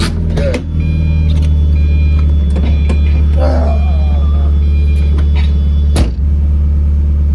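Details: Miata drift car on a short drive around the neighborhood after a new muffler was fitted. The exhaust is a deep, steady drone with no tinny buzz or rattle, much better than before.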